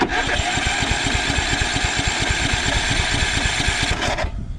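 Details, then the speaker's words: Kohler Courage 20 hp engine on a Craftsman DYT4000 mower, on a jumper pack, fuel solenoid clicking: even, strong crank about two compressions a second, no fuel drawn from tank, never fires. "so we're turning over i don't see anything pulling up from the tank but that might be for the best"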